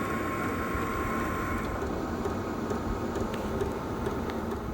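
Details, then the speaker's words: Heater on low setting, cover refitted, seated in its rubber isolator and wrapped: low hum with faint sharp ticks about twice a second over the fan; knocking oddly louder on low than high setting, source unknown. "You can actually hear it on the lower setting. That's weird that you can hear it more on the lower setting. You'd have thought it would be on the higher setting."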